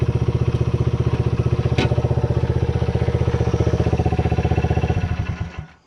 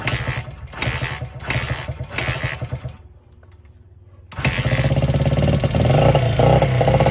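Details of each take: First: Restored 1978 Honda XR75, last run around 1989, after a misset adjustment was corrected per the manual: an even, steady putter of the small single at about four beats a second, then fading off; normal running. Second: 1978 Honda XR75 single, first run since about 1989 after restoration; catches after stumbling tries, then runs uneven and hunting; would not idle or drive well, low on power; timing and compression checked; cause was carburetor needle clip in wrong position.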